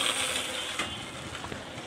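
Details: Motorcycle running, clutch lever pressed: harsh, scratchy grinding with irregular clicks, like a breaking bearing; clutch or gearbox suspected, not confirmed.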